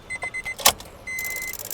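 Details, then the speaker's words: Honda Amaze petrol, ignition on, engine off: rapid burst of sharp clicking from the third relay in the fuse box; the ECM signal is not passing to it properly, fuse box already checked, ECM to be checked next. "यह कुछ इस तरह से इसमें यह आवाज यह आवाज जो आप सुन रहे हो ये रिले की है फर्स्ट सेकंड थर्ड ये थर्ड नंबर की जो रिले है इसमें दिक्कत मतलब ये ईसीएम से सिग्नल पास नहीं हो रहा है इसे प्रॉपर्ली जिसकी वजह से यह दिक्कत कर रही है"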